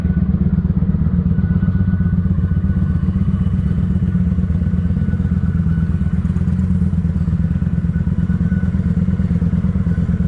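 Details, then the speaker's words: Kawasaki Vulcan 900 idling: thin, steady high squeal from the fuel pump straining, as the second fuel filter clogs again because the dirty tank was never cleaned. "I hope this fuel pump filter ain't trying to clog up again sound like it is"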